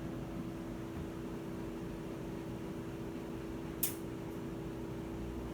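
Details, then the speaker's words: Whirlpool washer that won't spin, already recalibrated, in the drain and spin function with the lid lock engaged: only a steady drain-pump hum, and the tub never turns. "único que escuchamos es la bomba del desagüe pero fuera de ahí no nos está haciendo nada sigue sin moverse al parecer todo marca bien el seguro de la tapa marca que estamos en la función de drenado y exprimido pero la tina no se mueve"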